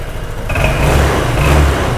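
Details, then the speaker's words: Honda SH125i 2021 scooter after repair of tractor-like idle noise, correct part fitted: steady crisp idle picking up cleanly into smooth, even revs with no rattle or knock; engine back to factory-normal. "xe rất khỏe rất bốc nổ máy galanti bình thường và đồng thời là cảm nhận được cái tiếng máy của nó rất êm mà giống như kiểu tiếng máy là về zin rồi đấy anh em ạ"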